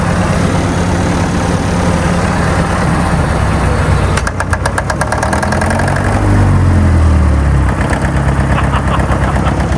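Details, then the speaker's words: Old machine just started on petrol, warming up with a bit of temperature showing and heaps of oil pressure: steady, even idle beat settling in, lifting once briefly, no knocks; sounds good, normal idle. "Heaps of oil pressure. Tangled up. Beautiful. Smiles all around. Right, mate. That sounds good, doesn't it?"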